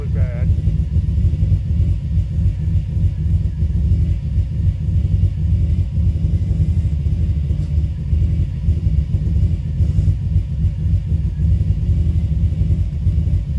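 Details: 2005 Subaru Forester XT with a rough idle that lurches unevenly at irregular spacing; it misses, the owner found a coil issue and suspects it runs rich, it hesitates on throttle, and performance/blow-by codes appeared. Cause not confirmed.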